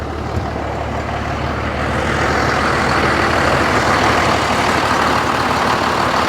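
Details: 1986 Ford with swapped Cummins diesel, just jump-started with cables (owner suspects a drain or a small battery): heavy steady diesel clatter settling into an even run, no misses or knocks, running normally.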